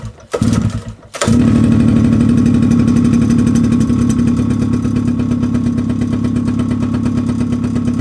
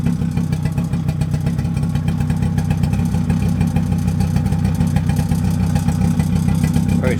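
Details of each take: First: Mid-1990s Suzuki LT50 two-stroke quad, unstarted for months, old petrol, old spark plug before cleaning: fires up with an uneven, stumbling beat and wavering pitch, never settling; rough running, plug suspected. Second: Mid-1990s Suzuki LT50 two-stroke quad after refitting the old spark plug, smoky from two-stroke oil in the fuel: steady rapid buzzing with no stumbling or dying; running properly now, much better than before.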